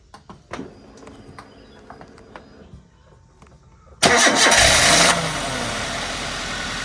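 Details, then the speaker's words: Toyota Avanza engine, started after a few clicks: it settles into a rough idle with a steady tapping underneath; a rod bearing knock, considered unsafe to drive for fear the con rod breaks the block. "kalau ini dibuat jalan takut saya nanti ee stangsernya patah itu ngenain blok mesin blok mesinnya pecah"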